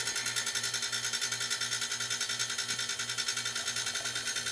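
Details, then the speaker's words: Home-built compressor, fittings refitted without new Teflon tape: fast, even pulsing hum of about three beats a second under a loud steady hiss as air leaks at the tank fitting. "And I had to take a bunch of these fittings apart, so any one of them could be leaking. Yeah, see, it's leaking right down there at the tank pretty good."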